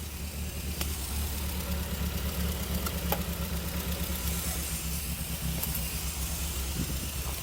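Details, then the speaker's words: Barn-find Triumph Spitfire idling just after first start in about 40 years, rebuilt carbs: low, steady even idle with no knocks or misses; runs well, carburettor still needs some tuning. "it's just sitting here idling after just starting up for the first time in like 40 years it's crazy I mean the carburetor needs tuned up a little bit"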